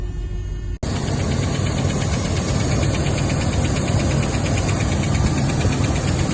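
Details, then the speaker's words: Rolls-Royce Silver Shadow V8 idling about 30 seconds to a minute after start, following a broken resistor being bridged with wire; light quick tick about four a second on top; owner doubts it is the power steering; source unconfirmed. "it's just been running for about 30 seconds or a minute can hear that tick tick pretty sure where it's coming from don't think it's PS we'll see"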